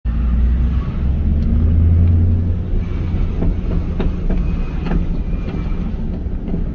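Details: 1998 Formula 5.7 LS1 with M6 manual: sharp, uneven rear clunks and banging over a deep driving rumble; first thought to be the differential, but caused by a worn torque arm, bushings and rear tire assembly damage.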